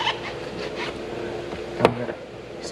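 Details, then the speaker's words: 2023 Genesis G90 door opening: two sharp clicks with a short clunk about a second apart, from the faulty motorized door checker (easy-access auto-closing door motor), replaced. "So I found that noise is coming from our, if it's a regular car, door checker they called it, but in this case, they called, and this because this door checker, there's a motor there, so that's the one that's controlling when automatically close on the door, right?"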